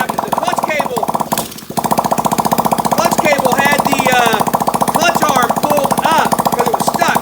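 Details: Honda SL70K1 small single with a fire-damaged area under the tank and a fuel leak, first start attempt: loud, rapid, regular popping that stumbles once, then fires steadily; owner is concerned about the clutch.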